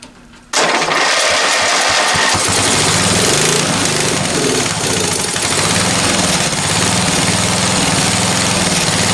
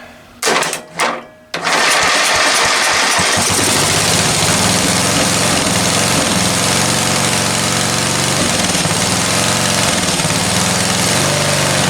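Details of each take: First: Free roadside-find ride-on lawn tractor, sat unused a few months: engine catches after a short crank, loud slightly uneven beat about four per second, keeps running only on choke; owner thinks it's lean and plans to adjust idle/air-fuel mixture. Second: Discarded ride-on lawn tractor, small engine after the carburetor was cleaned again ultrasonically, on choke: two short cranking bursts, then it settles into a steady, even, fast beat with no misses. Normal running; oil level not yet checked.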